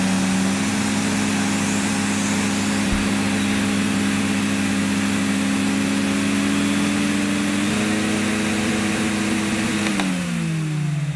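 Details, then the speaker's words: 1987 Electrolux Elite Super Electronic vacuum cleaner, first start at 400 watts setting: steady droning hum with a buzzy edge stepping up in pitch then sagging at shutoff; motor sounds wrong, owner fears overheating, cause unclear. "right no that doesn't sound right if this had not been a hospice i'd have been on to them say that i mean that doesn't sound right and i don't i don't want that to run for much longer because i just had images of flames coming out the back"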